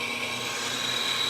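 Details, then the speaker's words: Precision Matthews lathe boring a cast iron sprocket, 0.007 in cut: smooth, unbroken high-pitched cutting hiss with no chatter, bore cleaning up round; normal cut. "yeah it sounds like it's cleaning up nice and round so we'll probably just leave it right there once it's finished with that cut"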